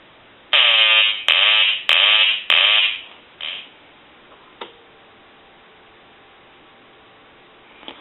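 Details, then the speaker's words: Hand-painted wooden duck novelty telephone, quack ringer previously silent, rung after repair; four quick nasal buzzy bursts about a second apart then quiet, quacker now works properly on ring. "we talked about a note that John had sent in where he didn't have the quacking sound and so what we're going to do here is we're going to ring the duck"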